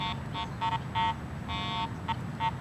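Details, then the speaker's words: Garrett AT Pro metal detector ground-balanced for neutral soil, swept over a highly mineralized dirt pit in test lanes: irregular short and long beeps with no target, ground noise from incorrect ground balance. "it's clearly picking up the soil here this mineralized ground"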